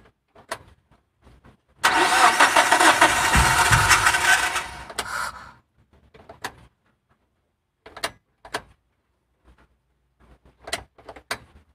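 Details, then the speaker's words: MPV car that starts but stalls when revved, filter removed after checking fuel pump pressure good: few seconds of rough revving, then fades and dies, only clicks left; sounds starved of air, cause not confirmed. "tuh kayak habisan Hawa pakai habisan angin nih"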